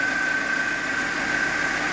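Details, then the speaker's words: Chevrolet Spark 1000cc after refitting parts following radiator coolant spraying onto engine wiring: steady, smooth idle with faint constant high tone and no knocks or misses; normal, though an earlier chirping possibly from a belt was noted. "Ee normal lah berbunyi seperti ini. Normal."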